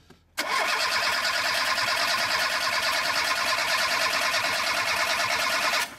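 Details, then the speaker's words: VAZ 2106 carbureted with gas/petrol conversion, switched to petrol: starter churns steadily about five seconds with no firing; engine cranks but gets no fuel, carburetor empty, no petrol supply. "Как вы можете говорить что не заводится если у вас вообще нет бензин"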